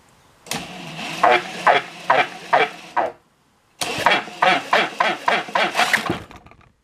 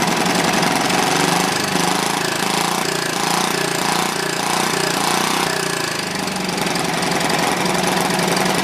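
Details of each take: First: Clinton B700 small engine with spark, during carb clean: harsh scraping bursts, two or three a second with each pull of the recoil cord, as the loose starter cup rubs; it wasn't doing that before. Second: Old, worn Clinton B700-series single-cylinder engine (model B704, possibly ex-rototiller), choke on, gives a steady, busy rattling run that stays even and unbroken throughout; running properly now, a tad smoky.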